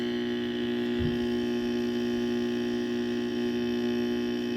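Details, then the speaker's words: Original Asteroids Deluxe cocktail table that worked then stopped: loud constant low mains buzz, ground-loop hum from bad cabinet audio grounding; sound comes off the AR board, pot was cranked, bad caps suspected, needing a board rebuild. "Yeah, we probably got some bad caps and stuff going on here. I can almost guarantee that."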